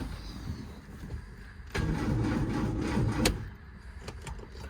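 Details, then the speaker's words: Lotus Elan after its fourth clutch job with starter motor refitted, cranking with clutch pedal in: short rough graunchy churning burst; owner suspects the starter motor, cause unclear; grinding noise when cranking. "Alright, let's give it a tickle. That sounds wrong. Sounds graunchy. Doesn't sound right at all."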